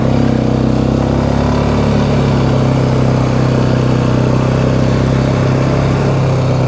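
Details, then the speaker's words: 2009 Polaris Sportsman XP ESP 550 after clutch repair for a shifting problem: loud, lumpy single-cylinder idle with a dragging drone underneath and noisy brakes; belt still grabbing, primary clutch suspected of not fully releasing. "Ooh, something's still grabbing on that belt. You can hear that? We're gonna have to get back up there and see what's going on."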